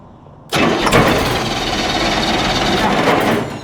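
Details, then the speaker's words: Ford Pinto wagon: fast, even cranking for about three seconds on a new battery, dropping to about 10.5 V, never fires. There is no spark, and a failed HEI module is suspected. "No spark. Huh. We got no spark. I wonder if our HEI module died."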